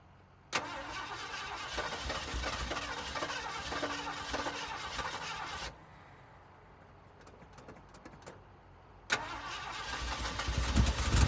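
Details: 1969 Ford F100 project truck with fresh battery and starter fluid: about five seconds of steady cranking, a pause, then a second crank that catches and builds as the engine begins to fire.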